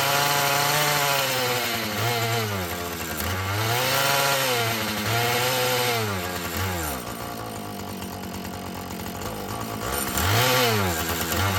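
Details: Husqvarna 445 chainsaw that had bogged when throttled, after cleaning and tune-up: it snaps up to full revs and drops back cleanly several times, pitch rising and falling smoothly with no bogging; it runs well, though the diaphragm may need adjustment.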